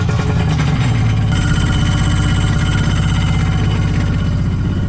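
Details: Kawasaki 900 STX jet ski after starter replacement and piston repair, running with stabilizer added: steady, even two-stroke burble with regular firing, no knocks or rattles; runs cleanly.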